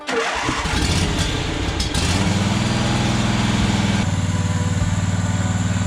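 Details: John Deere Z425 with a swapped-in donor twin, just after the blocked fuel line was replaced: about two seconds of uneven cranking to refill the fuel bowl, then it catches into a steady, even throb. Normal start.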